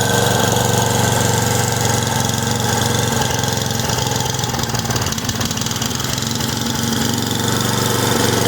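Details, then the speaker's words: Simplicity snow blower single-cylinder engine after carb rebuild, cleaning and adjustment, coil gap set, new fuel and primer lines, fuel bowl still leaking: holds a steady, even idle with regular beat, no stumbling or surging; runs well. "It sounds like it's running pretty good. We got our flapper put back in, put our caps on."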